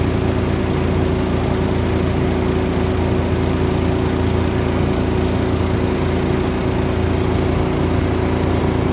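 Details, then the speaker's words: Exhaust blowers in a poultry building, 4 running, used especially in hot weather. A steady, even drone with a low hum, faint tones and no knocks or scraping; normal blower operation. "4 na blower ang gumagana, lalo pag mainit ang panahon. Yan, naririnig po ninyo yung ingay. Yan po yun, yan gumagana, kumandat."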